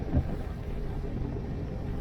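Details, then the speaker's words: Sailing yacht Zora's newly installed diesel engine on first sea trial after relaunch: low, steady rumble pulling evenly under way, no knocks or misses; engine running well. "Sea trial's going pretty good. The engine's running well. The rig is unreal."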